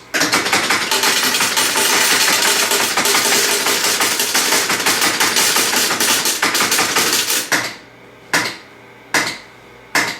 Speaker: You'll hear that click, click, click, click, click, click as it's going through looking for different things to pay out on. And then you hear a real big clunk at the end. That's all of the switches in the back getting reset by big solenoids.